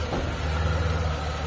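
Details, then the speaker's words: Mitsubishi Lancer "pizza pie" carbureted engine after tune-up and valve adjustment (previously hard starting, high shaky idle): low steady hum, even beat, no hunting or whine; quiet, smooth normal idle. "Sobrang tahimik na. Sobrang tining na nung engine nya. Hindi na siya yung parang humihiyaw."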